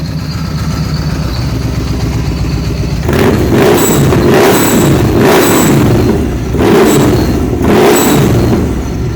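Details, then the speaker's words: 2013 Victory Cross Country supercharged V-twin, running after new plugs, coil and a temporary front plug wire; hard to start when cold: repeated throttle blips, each with a thin high whistle from the supercharger blow-off valve on that side, which is normal. "so you will hear this whistling noise on this side that's the blow-off valve located right here"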